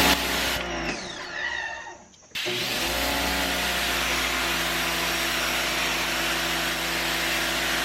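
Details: Electric pressure washer on first use, spraying to clean: brief pause, then a steady high motor whine with spray hiss holding even pitch. Normal running under load.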